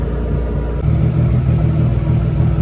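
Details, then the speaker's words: Car with fuel pump control module bypass, idling for quite a while: deep steady rumble with a slight lift, even firing, no misses or knocks; the bypass wire and ground stay cool. Normal idle. "all right so the car's been idling for quite a while now and the wire is not hot ground isn't hot"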